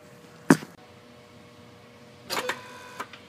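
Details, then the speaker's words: Ford F150/F250 5.4L 3V electronic throttle body (P2135 context), a known-good unit at key-on: a brief motor whir and click, then a whir and clunk two seconds later, then quiet. Normal single full-open, full-close self-test cycle. "I'm going to put you down on over here so you can listen how a good throttle body um sounds when it key is first turned on and everything's cycled it'll cycle normally full open full close it won't keep doing it like earlier"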